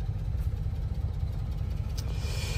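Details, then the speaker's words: 1993 Honda Acty Street Limited 4WD kei van, warmed up, started with a little gas: low steady rumble at idle with no misses, knocks or ticks; idles perfectly. "starts yeah and then as you can see idles absolutely perfectly turn the lights on for you guys very nice"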